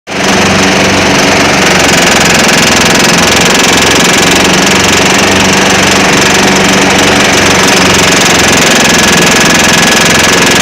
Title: John deere ez trak eztrak Z425 engine knocking under load